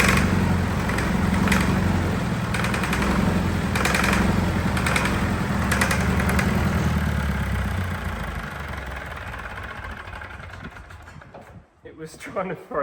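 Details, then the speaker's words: Fire-damaged diesel in 1989 Sambron D2000 telehandler after wiring-fault fire; runs rough with regular knock about four times a second, then winds down; injection pump out of balance because its rubber drive coupling is gone. "the pump around in there was it you know it went out of balance oh cuz the it had a rubber coupling"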